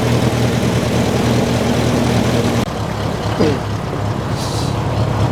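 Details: Old Ferguson TE20 tractor, long in the family, idling before its 60-hour service (oil change and greasing): steady, even low rumble with regular firing and no knocks or misses, idling healthily.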